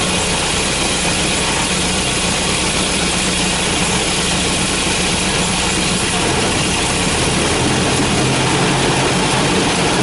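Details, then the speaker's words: Volvo B230 redblock with hard starting, misfire not worse under load: loud, uneven idle with a lumpy, stumbling beat and strong smell; rough running from a leaking fuel pressure regulator flooding it. "okay so let's fire this bad boy up be ready it's not pretty"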